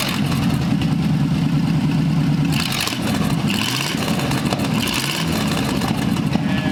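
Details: Abandoned Cadillac 331 V8 on a stand, fed from a small fuel tank after plug, wire and points work: smooth, deep, even rumble through throttle blips with no miss or knock; runs well, with the old carburetor working fine.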